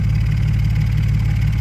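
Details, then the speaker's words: Cheap Audi S4, exhaust straight-piped from the cats back with one rear silencer, started after a driveway exhaust modification: steady deep idle rumble with faint rapid puffing, an exhaust leak suspected at a poorly clamping clamp. "Right. So, it sounds like it's leaking. It's leaking by the sounds of"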